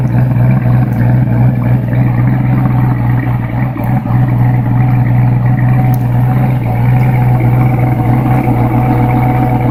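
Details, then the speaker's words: New Edge Mustang GT V8 with Comp Cams Stage 2 cam and springs, correct custom tune, stock manifolds, 2.5" catted H-pipe, Bassani after-cat exhaust: strong, low, loping idle, choppy beat about four pulses a second; healthy, well-tuned. "If you remember a week or so back I put out a video for just the idle sound from my cam and spring upgrade."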